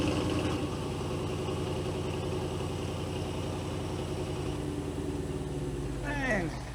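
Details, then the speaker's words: Audi 4.0 twin-turbo V8 idling after a spark plug replacement: steady, even idle with a smooth low exhaust burble and no misses or ticks; normal idle. "Okay. Idling's good."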